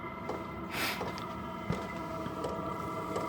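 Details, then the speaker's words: Diesel air heater for a shed, running on a test before installation: soft ticks about every 0.7 s over a steady fan hum as the fuel pump slows. The heater has reached temperature and entered economy mode. "so you can hear the pump there's the ticking sound in the background is slowing down and there's still loads of lovely heat coming off here so we've reached temperature basically and what it does is it puts itself into economy mode"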